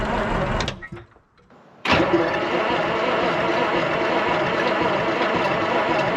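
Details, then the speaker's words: 1973 Peterbilt 352 cabover, 12V71 Detroit Diesel, sitting since 1986: uneven cranking of about three turns a second, a pause, then steady cranking without firing; smoke has stopped and batteries are draining; owner suspects a fuel problem. "so she's draining these batteries quick it's not helpful all right if you notice we're not getting smoked no more i think we got a fueling problem"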